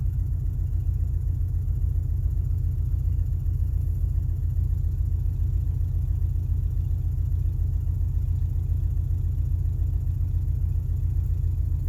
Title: rough idle on start up 2000 XLT 2.5 Lima